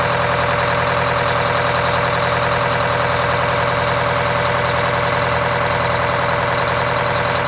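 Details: Wanderlodge RV bus, Detroit Diesel 8V92TA two-stroke after four new pistons and liners, started for first test drive: busy, even diesel clatter holding steady rhythm at idle, no knocks or misses. Normal idle.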